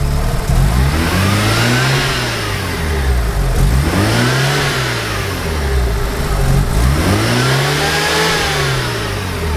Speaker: so the weird engine noise coming from the motor when you accelerate I think it you hear the noise when you pass about 3000 rpm it's an air hissing noise none of the intake or the exhaust is leaking is coming directly from the motor